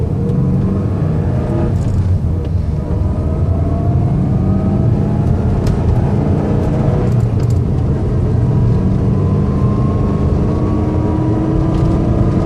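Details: 2004 Subaru STI on the road, clear whine in every gear climbing in pitch with speed over road noise; owner suspects front differential, not confirmed.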